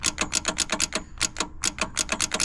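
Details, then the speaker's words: 1963 Plymouth Belvedere, sitting since 1978: rapid dry starter clicking, around seven per second, with no cranking. The battery terminals are badly corroded, so the battery was bypassed. "What we did was we completely bypassed the battery because these terminals are absolutely shot."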